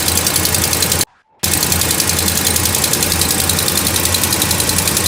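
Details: Dodge Ram Hemi, about 16,000 miles since previous videos, cold start after sitting about a week: fast, uneven sharp ticking over idle from passenger side of engine bay, gone when warm.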